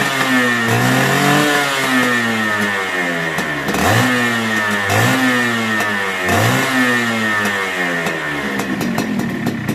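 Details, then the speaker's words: Suzuki Satria Hiu two-stroke motorcycle after repair of a rough noise traced to a loose magneto (flywheel), now seated and tightened: revs blip up and drop cleanly, crisp and even, with no rough rattle; normal running. "dan motor sudah normal kembali suaranya kasar sekarang sudah halus lagi"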